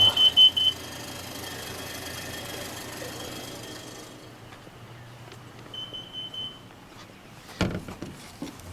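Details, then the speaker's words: Motorhome with leaking exhaust manifold gasket seals awaiting repair (part on hand), after running: quick bursts of shrill high beeps, then a longer tone; the CO alarm is tripping from the manifold gasket leak. "so so yeah we are not going anywhere in this rv until those uh gasket seals or where the seals on those manifolds are are fixed and i've got i've got the part jesus went off again"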